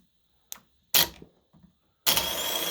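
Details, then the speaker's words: Starter motor from a 2013 Acura MDX on the bench, solenoid throwing the gear toward the flywheel then the motor spinning: sharp solenoid clacks then a short even whirr, engaging and returning normally; normal starter solenoid engagement. "So, that's also how the starter motor work. The two don't activate at the same time. One is to spin the engine, one is to take the the wheel to turns the engine forward to the flywheel."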